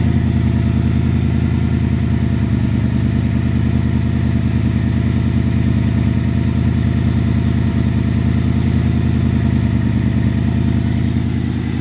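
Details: 2000 Ford Mustang GT with a Lincoln Mark VIII 4V swap engine, idling after fixes for earlier sputtering (idle air control change, ECU board cleaned with electrical cleaner). Steady, even V8 idle with a low burble, no stumble or hunting: normal idle.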